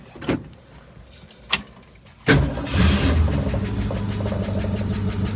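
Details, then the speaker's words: 1966 Ford Mustang Convertible, cold start: a few cranking turns, then the engine catches promptly and settles into a steady, even idle, left to idle before a test drive; healthy cold start. "beautiful all right beautiful cold start going to let her idle"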